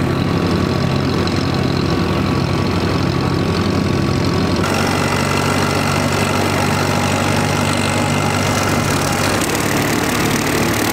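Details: Mower engine after fuel draw problem fixed (previously ran badly under load, fluids had been very low): loud steady drone with even beat and no stumbles; running smoothly before mowing.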